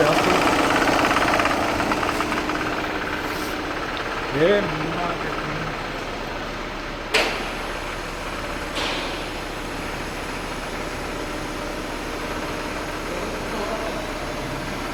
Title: Tiguan a/c compressor knocking